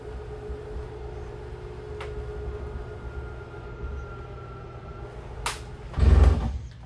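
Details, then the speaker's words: 2023 Jayco Jay Flight 324BDS travel trailer slide-out extending: steady motor hum with faint tone, then short harsh gear grinding as it stops; normal signal of full extension, stop the switch then or it may reverse and break. "Once you hear that gear grinding noise, you know you are fully extended."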